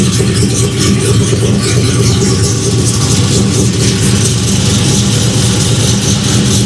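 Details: 1992 Dodge Dakota LS-swapped with GM 5.3 V8 and 4L80E, first start after installing Motion Raceworks in-line E85 flex fuel sensor mount; deep, even V8 burble holds steady for several seconds, no misses or knocks, no fuel leaks; smooth normal idle.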